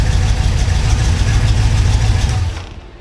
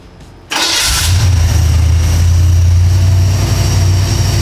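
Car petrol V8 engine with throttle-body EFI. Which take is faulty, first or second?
first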